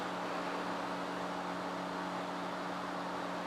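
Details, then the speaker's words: Cheap Chinese bench power supply for CB radio, powered on, set near 13 V: constant airy rush with steady low hum that never changes; its cooling fan runs noticeably noisy. "now I did notice that the fan is quite noisy I don't know if you can hear that in the video"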